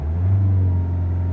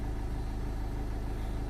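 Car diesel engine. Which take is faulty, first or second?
first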